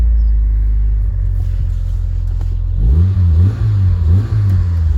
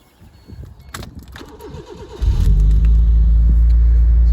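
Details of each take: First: Proton Satria GTI revival, with twin exhaust pipes; a deep, loud, boomy rumble that swells unevenly on throttle blips, and it is unclear whether this is an upgraded exhaust or a blown one. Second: Proton Satria GTI, first start at the beginning of its revival: the starter churns briefly, then it settles into a steady, deep idle with a throaty twin-pipe exhaust. It runs fine; whether the exhaust is aftermarket or blown is unclear.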